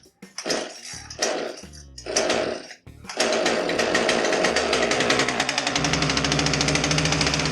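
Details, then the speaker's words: Poulan Pro PR5020 chainsaw that wouldn't start, with NGK plug replacing a Chinese plug: choked sputtering catches, then ragged uneven high rattle and heavy smoke as the flooded cylinder clears. "so it started and it smoked heavy it was flooded with bad that it ran on our NGK spark plug"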